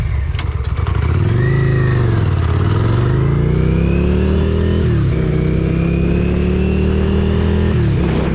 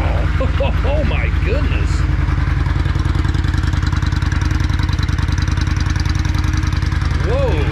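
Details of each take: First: 1994 Yamaha Virago XV535 V-twin on a full-throttle test ride down a hill, droning at a flat pitch that stops climbing and won't exceed 55 mph; cause found to be failed carburetor vacuum diaphragms, later replaced. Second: 1994 Yamaha Virago XV535 V-twin just after carburetor vacuum diaphragms were replaced; steady, even low thump at idle, no stumbles or popping, crisp throttle response: normal running.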